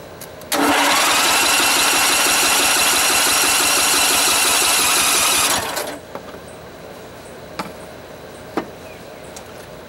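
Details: Montgomery Ward GX7, first start in 37 years, electric start, in neutral, throttle worked by hand: loud fast rattly churning for about five seconds then cuts out. Hard starting after long storage.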